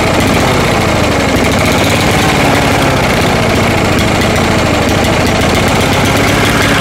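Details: Cheap used lawnmower after carburetor work, with the engine shutoff in the shutoff position where it runs best: steady low-speed chugging with an uneven beat and no revs; sounds starved for fuel, cause not confirmed.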